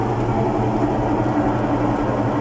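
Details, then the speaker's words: Washing machine during spin, noisy and also not washing properly: steady deep roar with a constant low drone; worn drum bearings, with seal and transmission needing repair and rust from leaking water. "El problema de esta lavadora son los valeros."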